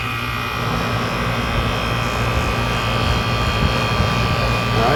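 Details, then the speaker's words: Upstairs home AC outdoor unit that was not cooling, running after replacing the failed capacitor; condenser fan started and compressor running, a steady low hum with even fan rush and no stalling or clicking. Normal running. "fan has started. I don't know if you can see that on the camera or not. And I can hear the compressor running. So that was it."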